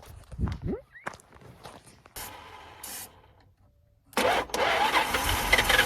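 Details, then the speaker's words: 1973 Plymouth Satellite first start in 39 years: some cranking on a fresh battery, then it catches and settles into a fairly even idle with no knocks or misses; pretty smooth, sound running engine. "and there it is first time in 39 years wow honestly pretty smooth and all realty right"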